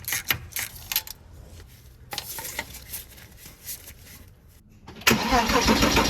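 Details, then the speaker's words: Porsche Boxster/Cayman 987 compression test: spark plugs out, fuel pump fuse pulled, battery fully charged, wide open throttle cranking. Even rhythmic chug with bursts of rushing air; cylinders all around 270 psi, good compression. "All right, so let's head in the car and crank it over and see what we get. Remember, wide open throttle for about 5 to 10 seconds."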